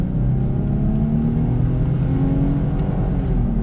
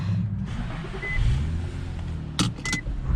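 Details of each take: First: 2006 Infiniti M35x driving at speed: deep steady growl in the cabin, louder when braking, with shaking; badly worn front wheel bearing, sounding like the right front, plus two bent rims. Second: 2006 Infiniti M35x on a test drive at about 40 mph after a wheel bearing replacement and alignment; the complaint was rubbing/grinding noise and vibration at all speeds. Steady low road rumble with no hum or growl; bearing quiet, fixed.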